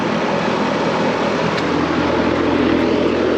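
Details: Residential outdoor AC condenser unit, called out because the compressor would not turn on, running after being switched back on at the thermostat: steady whoosh of the condenser fan over an even hum, no rattles or rising whine; house at 71 degrees and blowing cold; running normally.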